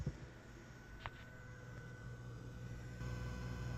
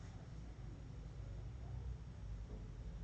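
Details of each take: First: Turntable hi-fi at high volume: faint hum with a thin steady whistle, conducted switching noise on the mains from the original JBL Horizon switching power supply; noise vanished when the power strip was switched off. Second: Turntable amplifier at full volume after switching off the power strip feeding the JBL Horizon's original switching power supply, which was putting interference onto the mains: quiet, only a faint low rumble, no buzzing.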